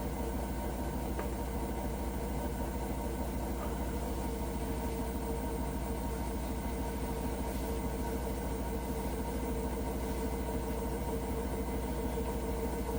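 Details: Hotpoint washing machine during spin: steady heavy rumble with low drone throughout and no clear knock; unexplained rumbling, cause unknown.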